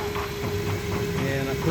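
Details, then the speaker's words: Jeep WJ at idle after new oil switch and ASD/TCM relay swap, before oil change: steady even idle with a faint constant tone and no knocks or misses; smoother and quieter than the day before. "But it's running smoother than it did yesterday. Not making near the noise."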